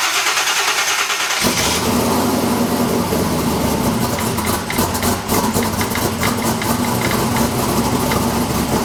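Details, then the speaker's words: New drag car engine, first start since racing at TX2K after a dead battery: it fires at once, then settles into a loud, lumpy but steady idle. A light knock is the belt tensioner hitting itself, not internal, and oil pressure is good. "Close enough to running. That little like knocking noise that you hear, that's just the belt tensioner like fully hitting itself."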